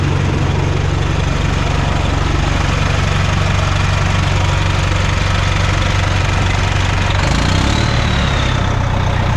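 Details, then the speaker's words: Bus 1410 "Brutus", diesel idling after new 24V fan drive solenoid fitted (no change): steady idle with constant rushing fan roar that never cycles off; fans always stay on, fan clutch stuck engaged. "Did absolutely nothing. I'm glad I did hook it up correctly though, but it didn't do anything, guys. That fan clutch is stuck."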